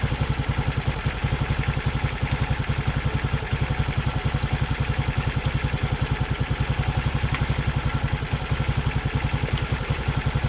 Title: Мотор Racer 164fml 200куб нижневальный с балансирным валом первый запуск после ремонта